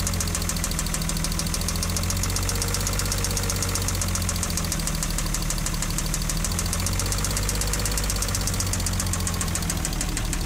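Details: Ford Probe 24-valve petrol V6 idles with a steady, rapid knock ticking over the low engine drone; cause not identified.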